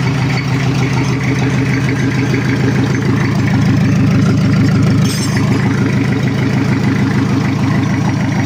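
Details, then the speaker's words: Toyota Kijang diesel with new water pump, not yet at normal temperature, oil still cold: steady even low idle with regular beat and no knocks or rattles; healthy, oil pressure expected to drop to 2–3 bar once settled. "ini masih belum suhu normal dan oli mesin Masih dingin"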